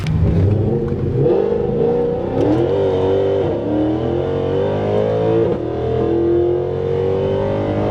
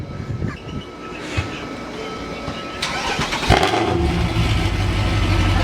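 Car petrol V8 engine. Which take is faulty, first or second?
second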